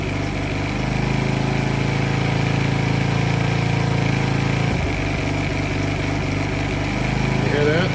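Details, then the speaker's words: Polaris Outlaw 50 youth quad after a thumb-to-twist throttle conversion: single-cylinder engine idles, stumbles briefly, then hangs at idle and won't rev; owner suspects it thinks the throttle is already open, upsetting the timing. "okay so now it won't rev if you guys heard that"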